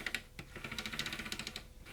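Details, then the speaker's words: PowerPC Macintosh 5500/275 CD drive after greasing with PTFE: quick uneven light clicks, about a dozen in two seconds; drive mechanism still clicking, possibly normal for this drive. "Now, still making that clicky noise."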